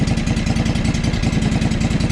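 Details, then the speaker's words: John Deere 445 twin-cylinder engine after fitting a good used coil: loud idle with uneven, lumpy pulse and stumbling beats; still misfiring and running rough from another problem. "so that that coil is good that coil is good so huh and it still runs like crap so what does that tell us tells us we got some other problems right"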